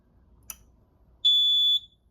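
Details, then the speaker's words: Notifier NFS-320C fire alarm control panel entering level 1 programming with the passcode: a single steady high-pitched buzz lasting about half a second in a quiet room, the trouble buzzer sounding as the panel goes into trouble. "Puts the panel into trouble."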